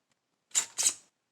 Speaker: you know what I like about these 100 key Protex is they're quiet. Like when you turn them,